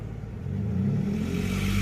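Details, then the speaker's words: 2007 Pontiac G6 GT convertible, revived after years in storage, engine revved: raspy, puffing roughness rises over the exhaust note; terrible exhaust leak, with coolant temperature spiking on revs (owner suspects air bubble). "there's a terrible exhaust leak."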